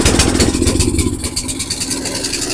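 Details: Murray 8hp snowblower, Tecumseh engine, sat all summer, bad fuel suspected, no-start fixed by carb cleaning: now starts and settles into a steady but fast idle; runs well but idle too high, to adjust at screw or governor arm.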